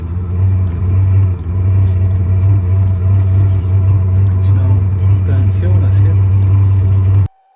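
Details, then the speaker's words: Diesel heater on a boat, heard at the exhaust after fuel priming as the pump restarts and it lights: steady deep roar holding evenly for several seconds, then cutting off; normal combustion, not jet-engine-like. "okay you can hear the combustion starting actually it doesn't sound like a jet engine starting"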